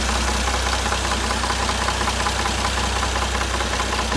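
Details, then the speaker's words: Toyota 1JZ-GTE VVTi engine, fully warmed up, at idle: fast, uneven rattling camshaft knock over a steady low hum that disappears when revs rise or the camshaft is pushed forward with a stick. "Двигатель прогрет полностью, продубасен, как говорится, хорошо перед снятием этого видео. А вот прекрасно слышно вот этот вот стрёмный"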